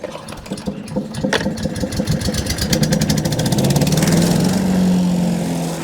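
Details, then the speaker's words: Wood chipper's small single-cylinder engine after bolting the loose tank on tight: catches, then settles into a steady, rising drone with no obvious loose rattle over the exhaust beat. "Let's hear it run. Hopefully it'll rattle a lot less now that that tank's bolted on tight."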